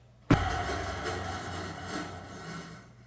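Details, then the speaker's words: Table saw switched on and off briefly to check blade runout, then coasting down with a rough, rumbling whir; the arbor bearings sound in poor shape. Little left-right blade walk, but the blade seems to move up and down. "I can hear that the bearings are in poor shape"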